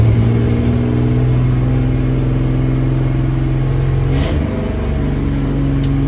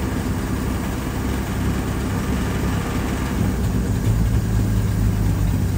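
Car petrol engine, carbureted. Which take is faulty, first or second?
first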